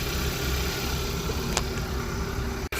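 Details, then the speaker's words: 2015 Hyundai Accent, abandoned 4 years, 70-something thousand miles, running again after a new belt and new radiators and condensers: smooth, even low idle hum with no knocks, ticks or squeal. Normal idle. "after all this work, we finally got the car running, man, and we finally got this car sounding good."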